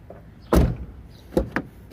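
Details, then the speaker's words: VW Gol G5 door after greasing to cure its noise: the door swings and latches with a few clean dull thumps and no creak or squeak, normal door operation after the fix. "E aí E cadê o barulho família que vocês tavam vendo cadê o barulho você resolveu o barulho das portas em apenas um minuto"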